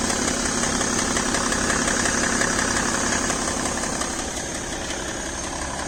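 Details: BMW E60 525d diesel with fresh 5W30 oil, idling cold, has a fast, even light tick of about three a second over the idle. It disappears once the engine reaches about 80°C. Cause unknown.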